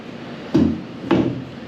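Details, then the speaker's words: Nissan truck with a brake problem, removed old brake booster tipped by hand: two dull thumps, each followed by liquid sloshing inside. The booster is full of what looks like old brake fluid; the old master cylinder, recently replaced, is suspected of leaking into it. "This old one is full of fluid. It looks like old brake fluid. Like maybe the master cylinder was leaking and leaked into it."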